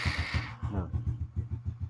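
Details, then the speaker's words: Honda Supra 125 motorcycle, previously hard to start and sluggish when cold, after cleaning the carburetor and jet and sealing an unsealed vacuum line: cold electric start catches within half a second and settles into steady, even putts. "Sekarang kita nyalakan ya. Kita starter aja enggak usah kita traap ya."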